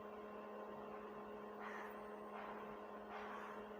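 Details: Stranger PBT701 700-watt amplifier after repair, volume low, tested with MP3 and line input: only a faint steady low hum at the speaker, no crackle, pops or hiss; earlier noise present even at zero volume is gone.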